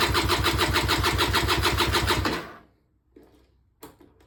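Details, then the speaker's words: Auction-bought Peugeot Speedfight 2 100cc two-stroke scooter, long unused, carburettor filling up, spark confirmed: steady fast cranking about three turns a second for 2.5 seconds, never catches; cranks but won't fire, owner unsure carb is full. "Nothing. So I know I've got spark, I did check that."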